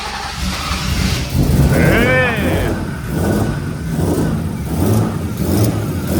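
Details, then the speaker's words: BMW E36 323 with an M52 engine at 300,000 km, first run after fitting a budget eBay turbo kit, still being tuned: uneven, lumpy revving with a coarse, unsteady exhaust note, running rough and very rich. "okay the car is somewhat running it's getting better and better um it's running really really rich right now"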